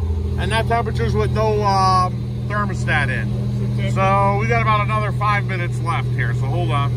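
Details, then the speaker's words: Buick Grand National freshly rebuilt engine, first start during cam break-in, varied 1500–2000 rpm for 10 minutes: steady, even fast idle humming low under background music, no knocks or ticks; good oil pressure, no leaks. "varying the RPM from 1500 to 2 Grand shut the car off let it cool start do that again three times total so that's what we're gonna do right here so let's start it up"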